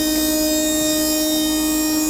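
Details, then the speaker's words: Large electric motor on test controller, spinning in reverse at about 4600 rpm of 6000 max, no load, drawing about 200 W: clean steady high whine, perfectly even, no rumble or wobble, almost no vibration. "Да, 200 ватт на холостом ходу для такого здорового двигателя это очень неплохо. Никаких вибраций почти нет."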